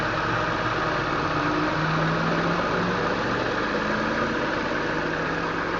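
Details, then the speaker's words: 2001 BMW M3 straight-six with over 200,000 km, cold start after a week sitting, heard under the hood: steady even hum with no Vanos ticking, knocking or misses; valve clearances were within spec at last inspection. "It's very quiet. So this is underneath the hood, the car is on. It's very quiet. It just purrs. Again, this is a cold start. You can't hear any ticking from the Vanos."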